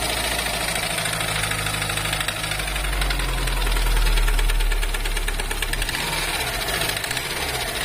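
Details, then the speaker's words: Subaru Impreza GDB, applied model C, 110,000 km, brought in for abnormal engine noise: steady running with a hard, fairly regular knock about three per second; something is wrong inside the engine. "え結構な異音が出ております"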